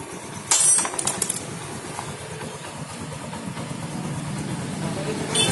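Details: Yamaha Jupiter Z after repair: clutch housing rubber dampers and clutch plates replaced; even, steady engine note with no rattle or scraping as it runs and gears engage, sounding healthy.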